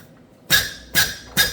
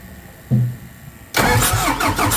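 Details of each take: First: Hyster R80 forklift diesel injector on a pop tester near 3,000 PSI: three sharp crisp chirps with fine spray fog, correct chatter, though the injector is worn and drips at 3,000 PSI. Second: Hyster R80 forklift diesel, ran out of fuel and won't start; injector removed and laid out while cranking: starter churns rhythmically, never catches, injector not spraying as the injection pump can't reach the 3,000 PSI opening pressure; pump-shop repair suspected.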